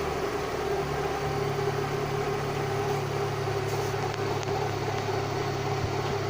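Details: Fiat Doğan idling after MAF sensor cleaning: steady even idle with smooth low hum, no misses or knocks; engine running healthy.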